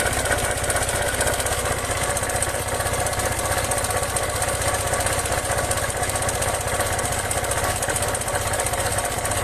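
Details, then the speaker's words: Kymco 150 scooter after replacing a broken bearing and fitting a new camshaft idles steadily with an even, quick beat, no scraping or grinding, then shuts off; normal idle. "ayun na nga nadali natin yan yan ang original tunig niya wala na wala na yung mga kumakaskas dahil sa bearing na basag niya"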